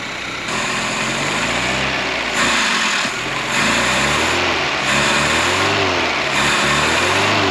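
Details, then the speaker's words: Fiat 124 Sport Spider, off the road since at least 2011, idling on its own fuel supply with no leaks: busy, slightly wavering idle that keeps running without stalling or missing; normal idle. "We're just running off of its own gas. Sounds good, don't it?"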